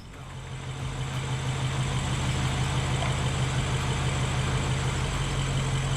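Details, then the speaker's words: 2013 BMW 750i M Sport V8, rebuilt after a seized engine, idling after a few bad connections were fixed; a deep, steady, smooth idle with no misfire or ticking, and the engine runs very well. "And it runs very good. That makes me very happy."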